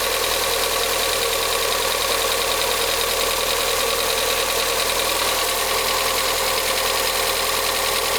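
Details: VW Gol G6 1.0 on first cold start: fast, light ticking rides over the idle at a steady rate; the dealer diagnosed faulty hydraulic lifters, and the engine was opened to replace them.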